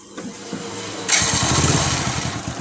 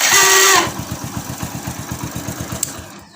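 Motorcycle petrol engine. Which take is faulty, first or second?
second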